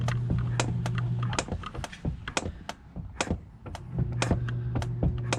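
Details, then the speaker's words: Chevrolet Spark/Beat: sharp uneven clicks and creaks as the clutch pedal is pumped, from a cracked firewall at the pedal mount; the pedal goes stiff and the mount moves abruptly, and repair of the firewall is needed. "Y ahí está, así es como se mueve, y ese ruido pues ya es de la pared de fuego."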